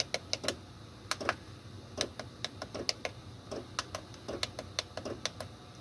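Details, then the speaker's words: Chinese 8 kW diesel heater in 1986 Fleetwood Prowler 23P trailer, heard from inside, fan minimum set to 2500 (max 5000): crisp clicks three to four per second over soft fan hum; normal fuel dosing pump ticking, not very loud. "some people might say that the fan is a little or the fuel pump is a little too loud yeah I still feel heat fan air coming through there but in all honesty sitting here on the couch it's really not that loud"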